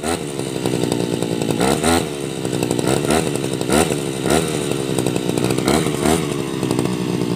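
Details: Tabata two-stroke brush cutter, 7+ years daily use, original block, piston, carburetor and muffler, rings and cable replaced; raspy buzz dipping and recovering cleanly as it cuts grass: normal running.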